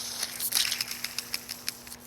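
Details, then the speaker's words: BMW E46 330xi 3.0 inline-six, old serpentine belt idler pulley spun by hand off the car: dry gritty crackling bursts, rough not smooth, worn bearing causing grinding; replaced with new quiet pulley. "It'd make all sorts of funny kind of grinding, funky noises and what have you, so that was no good."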